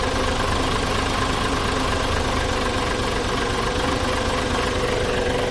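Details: Mitsubishi Fuso Super Great 6M70 double-EGR diesel, low power and hard starting, after cleaning ECU socket with contact cleaner: deep steady rumble at even idle, no misses; earlier idle RPM went up and down.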